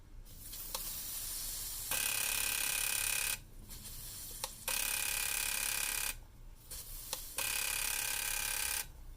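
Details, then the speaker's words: Mazda RX7 side-feed fuel injector bench-tested in a vise with pressurized carb cleaner and pulse tester: rapid bursts of hissing spray with crisp buzzing clicks and short gaps; injector clicking and spraying normally. "listen closely as you can hear it definitely clicked so that's good news"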